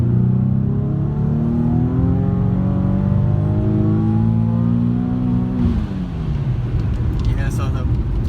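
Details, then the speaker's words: Engine with a newly installed ATI harmonic balancer/crank pulley damper, built for 600+ hp: quick rev pulls up cleanly and drops back to idle with no belt squeal or chirp. Belt holding, no slip. "belt's holding on there pretty good so we're all set"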